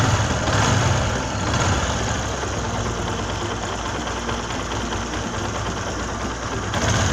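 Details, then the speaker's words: Small motorcycle idling evenly after worn timing chain guide pad was built up by welding to take up a loose timing chain; earlier tractor-like chain noise now mostly gone, smooth and near normal. "पहले से काफ़ी स्मूथ है, काफ़ी हद तक नॉर्मल हो चुकी है।"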